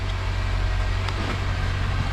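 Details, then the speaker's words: 2007 Honda Accord 2.4 cold idle right after O2 sensor replacement for a misfire code: steady, even low hum, slightly fast because cold, no misses or knocks, no codes stored. "it's it's still over look it's idling pretty good right now it's it's cold so it's a little bit fast"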